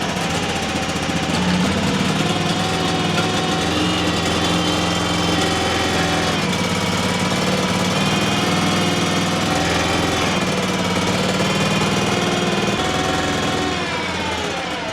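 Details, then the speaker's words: Terramite T5C backhoe Kohler Command engine after flywheel removal and stator replacement, first start: steady even rapid beat around four per second, sounds as it always did; running normally. "Oh, yeah. That sounds just fine. Sounds like it always did."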